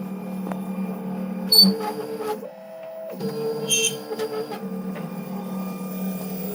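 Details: Shipping-damaged Wombot Exilis XL 3D printer prints with steady motor hum broken by sharp, god-awful screeches as the head moves, with serious print quality issues.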